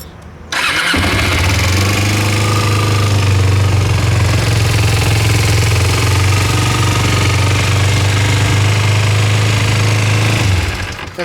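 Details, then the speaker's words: 2005 Kawasaki Ninja 250 motorcycle, 4,686 miles: starts instantly and settles into a steady, even idle with a smooth low thrum, no knocks, ticks or misses; runs great. "bike runs great."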